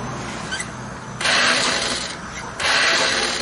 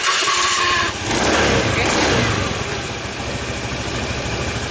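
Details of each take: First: Honda Scoopy that won't start: two bursts of thin, high whirring with no cranking rhythm, the starter motor spinning freely without engaging the starter gear; left crankcase cover removed next to inspect. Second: Honda Scoopy scooter after starter repair: a short electric-starter whirr, then the engine catches quickly and settles into a steady idle. Before the repair the starter spun but did not engage the engine.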